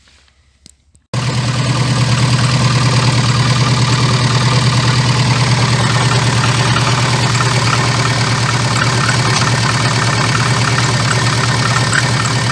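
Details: VAZ 2114 engine, knock for three days, worst when dropping from 2000-3000 rpm: starts then idles with a steady rattling beat about three a second; crankshaft damper pulley found cracked with play, needs replacement.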